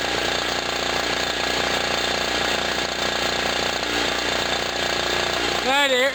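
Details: Generator on its first start and load test of the year after sitting about a year, hot humid day, loaded with a 40 W bulb: steady, even two-stroke-like buzz holding pace, noisy air compressor chattering alongside; running healthy.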